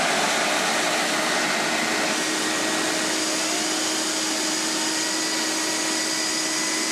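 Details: Hoover Steam Vac Deluxe brush-drive vacuum motor with a partially clogged intake screen, running after repair: even high-pitched motor whine with steady rushing airflow, no rattles or surging; runs normally.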